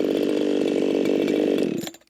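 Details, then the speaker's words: Echo 4910 chainsaw, not run for a very long time, being carb-tuned toward 13,500 rpm: hard, even, high-pitched scream held flat out before shutoff; jumped to 15,000 rpm, far too lean. "That jumped up to 15,000 RPMs. Way too lean for this here saw. Way too lean for most saws."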